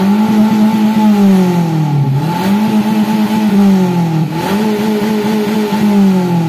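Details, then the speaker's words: Daihatsu Gran Max held at high revs: sags and recovers about every two seconds, choked droning exhaust; clogged catalytic converter. "Semoga saja, gejalanya cukup parah hingga membuat knalpot bergetar. Seolah-olah knalpotnya akan lepas."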